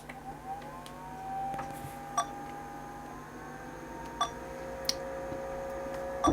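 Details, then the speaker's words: Zenith Eazy PC, a 1987 XT clone about 37 years old, at power-on: a few thin, irregular beeps and clicks with no clear pattern; the cause of the beeping is unknown. "I'm not sure what the beeping is"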